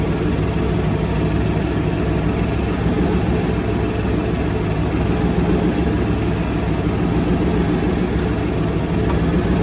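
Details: Monaco boat engine run before winterizing; steady, even low rumble with no knocks, misses or rattles, idling smoothly and healthy.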